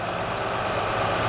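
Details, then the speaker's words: 2007 Honda Odyssey after replacing the serpentine belt tensioner assembly and bad crank pulley (harmonic balancer): steady, even idle hum with no chirp or squeak; belt drive now quiet and healthy. "ah much better no more chirpy chirp there you go"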